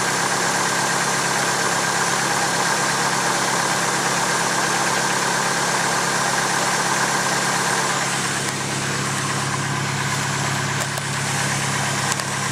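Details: Fully built engine at idle, a few months after the build: fast light ticking about three per second over a steady idle, suspected lifter tick.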